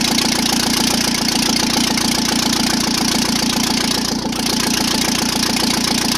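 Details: First start of engine without turbocharger, exhaust manifold, cooling system and most sensors after repair: loud raw even exhaust beat at fast idle, exhaust felt even from each cylinder; normal running.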